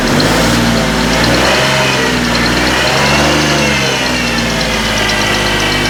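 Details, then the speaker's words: 2006 Ford Taurus with salvage-yard replacement engine, after stuck closed injectors were freed by tapping: uneven loping idle skipping irregularly, three to four pulses a second; not all cylinders firing, rear bank suspected; misfire. "we're not hitting on all the cylinders there buddy definitely not"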